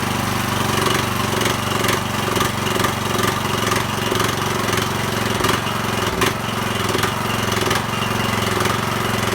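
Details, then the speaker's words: Small single-cylinder mower engine, first start after a half rebuild fixing no compression: fast even beat, a little chuggy at first, then settling into a steady healthy run. "all right that sounded pretty good it was a bit a little bit chuggy there at the start but it seemed to clear out"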